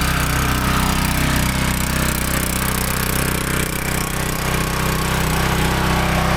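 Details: Small-engine pressure washer after replacing the failed check valve in the soap injection system, with no more water running from the detergent port: a steady, even chug at constant speed with no surging or misfire. Normal running.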